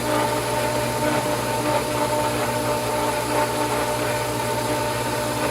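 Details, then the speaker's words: Pool pump at spring opening hums with a thin, airy churn and no solid water load, only a trickle entering; air-bound and failing to prime, likely needing to stop and refill the basket with water. "so it's it's kind of getting to the point where as good as it looked before we might need to stop down and add more water"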